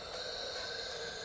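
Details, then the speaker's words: Used junkyard engine off the vehicle, compressed air in cylinder while turning it over; steady, even hiss out the exhaust port, changing when blocked by finger, showing the exhaust valve opens and closes normally. "I'm blocking the port off with my finger and I can feel the air flowing out of it so that means the exhaust valve is opening and closin"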